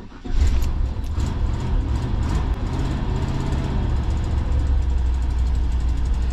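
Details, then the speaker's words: Large carbureted petrol engine in a 1990 Fleetwood Bounder motorhome, about 67,000 miles, catching after long cranking and settling into a deep lumpy cold idle with faint puffing tick: passenger-side exhaust manifold leak, replacement manifold and gasket on hand. "exhaust leak. an exhaust manifold on the passenger side. I'll have to get to that job pretty soon."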